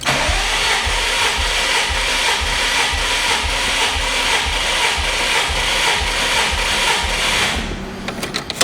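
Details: 2005 Subaru WRX STI, 110,000-mile never-opened factory EJ25, cranked on a compression gauge (cylinder 2 about 118–120 PSI); steady starter whir with even pulses about twice a second: normal cranking.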